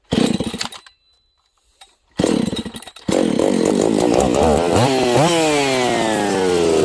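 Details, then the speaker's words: Husqvarna 268 open-port chainsaw running poorly lean: steady run, then pitch swings up and wavers when spray is applied near the crankshaft seal, revealing an air leak at the crank seal. "there you go there's our problem friends we have a leak on the Craig seal side"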